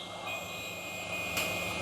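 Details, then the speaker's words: Dell Latitude 3580 dead-laptop repair: multimeter continuity gives a steady unbroken beep across a capacitor reading 0 ohms, a dead short; the faulty capacitor needs replacing. "Yeah, and I'm measuring that capacitor, it's got a shot, a 0 ohm shot."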